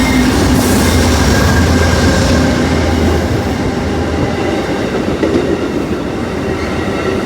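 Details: Amtrak 20 train with P42 locomotives passing NS freight locomotives: heavy rumble and rail clatter with a thin high squeal running over it; wheel squeal, cause unknown.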